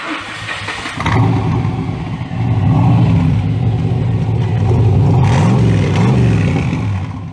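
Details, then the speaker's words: 1964 Corvette V8 at delivery: catches after a short crank, revs cleanly, then settles back into a deep, even burble; nothing wrong heard. "Is that not a sexy sound?"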